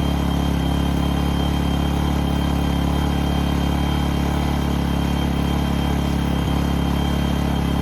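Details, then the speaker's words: New A-iPower SUA1500i 1500 W gas inverter generator, just started and warming up with no load: a soft, very quiet, steady hum at constant idle speed with no misses or knocks. "God, this thing is super quiet. It doesn't have a load on it though."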